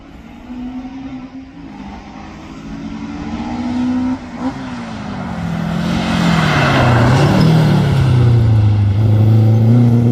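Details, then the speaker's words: Toyota Starlet hotrod on slicks at a Curborough Sprint session, after chassis welds were repaired and fuel and ignition gremlins sorted: engine note climbs smoothly through the revs, pulling cleanly under load with no misfire or stumble, sounding healthy. "That sounds a lot better."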